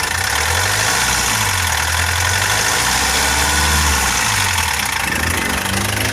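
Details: Foton Traveller CRDI diesel revved after clearing fault codes P0088 and P0254: pitch rises evenly when the throttle opens and settles back with no knock; check engine light no longer appears.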